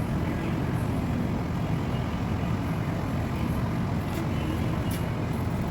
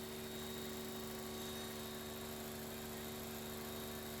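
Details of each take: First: Petrol engine idling, customer reporting low power: choppy uneven low rumble with noticeable shaking; OBD scan shows misfire on cylinder 4, checked by swapping plugs and coils. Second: Petrol engine after a cylinder 2 misfire repair, which had caused shaking and low power: on the test drive it runs steady and even, with no misfire, and the code has not returned.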